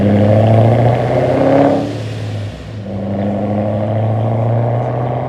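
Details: Warm engine, not a cold start, with a new Pypes muffler delete replacing cheap homemade piping: deep raspy exhaust swelling on each rev and settling back, loud and open with no rattles; a healthy straight-through note.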